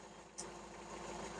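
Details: Hyundai 30L-7M forklift, GM 3L engine with GCP fuel system, warm in closed loop after fixing the DEPR that lost ECM communication and caused extremely rich running: steady, even idle with no hunting or stumbling; normal idle.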